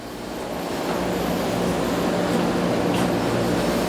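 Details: Laundromat dryer drum turning; steady low rolling rumble with a rough repeating thump about four times a second, a failed drum bearing on the trunnion, repaired by fitting a new bearing and recentering the drum.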